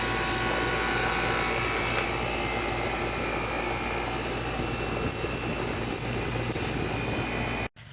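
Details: Over-15-year-old 3-ton home AC compressor after installing a 5-2-1 hard-start kit, with inrush current much reduced: steady low hum and fan rush with no stutter or labouring; running smoothly.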